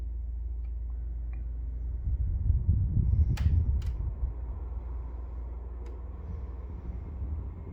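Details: Brand new Pioneer 9000 BTU 240V mini split running: sharp, irregular clicks over the low, steady hum of the unit.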